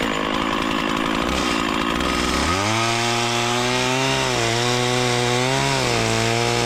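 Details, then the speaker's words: Stihl 044 Magnum chainsaw with freshly sharpened chain, fresh gas and bar oil, cutting small wood, recorded from a helmet camera; crisp two-stroke snarl climbs cleanly to high revs and holds steady under the cut with no bogging; normal running under cutting load. "I'm super psyched about this saw. This thing rips. I know I was cutting some really small wood with it."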